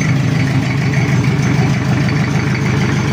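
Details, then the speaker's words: Toyota Kijang diesel after cracked-block repair with new water pump and thermostat, cold with cold oil: even steady idle clatter, no misses or knocks; engine and smoke fine, oil pressure high while tight, expected to settle around 2–3 bar. "mengkilap sendiri untuk water pump dan untuk mesinnya aman asap juga aman"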